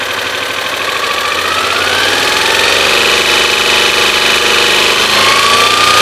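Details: 1986 Honda VFR400 NC21 motorcycle at idle: quick light knocking, about three or four a second, over a busy idle with a slowly rising tone; cause not evident.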